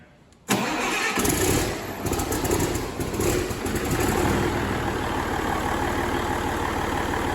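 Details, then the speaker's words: Rebuilt fully mechanical N14 Cummins 498 hp diesel with step timing control, on a compost turner: quick crank, catches at once and settles into a steady, even idle with no knock or miss, expected to smoke briefly until oil pressure rises. "now this is known as a step timing engine and you will see when I start it up what I mean by that it will smoke severely for a few seconds until the oil pressure comes up and then the smoke stops"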